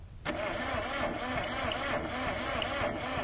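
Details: Car with a nine-year-old battery, parked in the mountains, no-start diagnosis; coil shows strong spark on an air-gap test: steady, even starter cranking with rhythmic churn that never catches; turns over but won't start.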